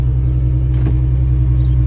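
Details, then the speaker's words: 2003 Ford Mustang 3.8 V6 at steady idle after fixing a cranking screech: smooth even low rumble with no screech or squeal. Normal idle. "The sound finally went away. The car sounds good."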